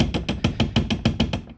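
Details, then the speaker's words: 2017 Honda Pioneer 1000-5 UTV rear door, metal latch without black tape wraps: quick light metallic clatter, about six or seven taps a second, as the latch knocks against its rubber stopper; rattle fixed by taping the latch. "you get your metal latch and you got this so I like to do as you can see I have the residue from old tape is put two three maybe four wraps of black tape on here because if you don't do that it dis rattles just a little bit"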